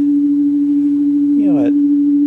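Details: 1964 Leslie speaker from a Conn organ, converted for external use and driven by a modified Squier Champ amp with an audio frequency generator: a steady pure tone around 300 Hz, clean and even with no buzz or rasp; speaker reproducing fine.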